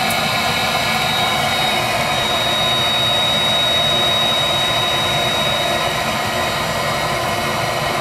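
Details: Viessmann Vitodens 200-W WB2B35 condensing boiler, about 5 years in service, in its intermittent hung failure state with no fault code: steady fan whoosh and a thin high whine with no burner roar; the burner stays unlit while the circulator pump keeps running. Cause unknown.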